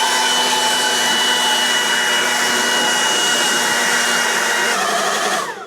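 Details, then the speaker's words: Kioti DK6020 tractor snow blower, run after the tractor was left outside in the cold: steady high-pitched whine over rushing airflow that winds down, blowing weaker than normal. Owner suspects bearings are tight after going from super cold to high-RPM heating. "I can hear the uh bearings in this thing. I can tell that it's not not blowing with as much force as it normally does. Probably the bearings are a little tight."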